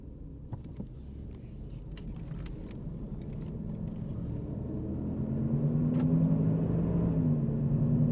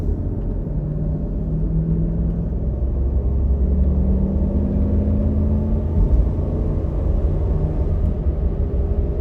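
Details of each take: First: 2007 Jeep Grand Cherokee 4.7L on a road drive: low droning hum builds steadily with speed and swells on a swerve. Worn driver's front wheel bearing. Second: 2007 Jeep Grand Cherokee 4.7 L on a test drive after replacing the noisy driver-side front wheel bearing: only steady road rumble at speed, with no growl or hum rising with speed; the bearing is now quiet.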